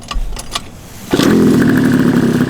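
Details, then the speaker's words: Honda Elite scooter with a fresh 120cc stroker build, 28 mm carb, 145 main and about a 52 pilot jet, on its first start: a few clicks, then it fires at once into a loud, crisp, even buzz with no misses. "Oh, that sounds good though. Like the stroker sounds Dude, that thing's so loud right now."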